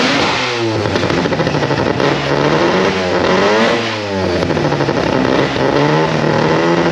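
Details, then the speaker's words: Mazda RX4 ex-race car with new 13B rotary engine, old Haltech running ignition, battery only 11 volts with suspected alternator issues: revs unevenly, lumpy stumbling hunting note; rough running, owner suspects low ECU voltage, unconfirmed. "I'll get it running but it runs like [ __ ] the race car stuff actual race car"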